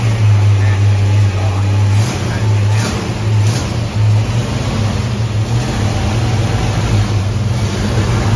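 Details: Ford Mustang carbureted V8, idle turned up slightly; the cause found was an air leak from the wrong gasket under the 1-inch carb spacer: deep, steady burble with an even low rumble and no stumble or hiss, a healthy running engine.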